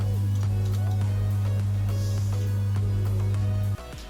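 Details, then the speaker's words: V-Guard Veemagik Neo tower fan that had hummed and spun slowly, rechecked after reconnecting the plug and connector with the capacitor still in place: a steady low motor hum with no drag, then switching off. The motor now runs freely at good speed. "இப்போ motor நல்லா ஓடுது, நல்லா ஸ்பீடாக ஓடுது. நல்லா ஸ்பீடாகவே ஓடுது."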